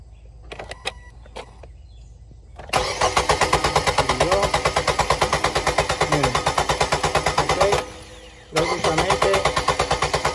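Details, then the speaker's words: 2018 Nissan Sentra 1.8, about 35,000 miles, cranking during spark test with grounded test light; steady even cranking, pausing once and resuming, never catching. Crank no start, no spark confirmed; ECM coil control suspected. "Es ok, Kimberly. Prácticamente no hay chispa, ok. Ese es nuestro problema."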